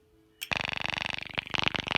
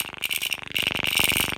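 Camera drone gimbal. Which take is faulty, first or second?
second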